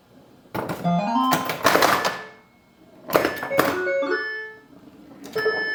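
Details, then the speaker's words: Bally Paragon pinball, AS-2518-50 sound board after replacing one chip in a new socket: bursts of electronic tones, rising sweeps and thunks come through cleanly. The board works, though the end and game-over sounds seem not quite right. "But it makes sound, so we know the sound board works."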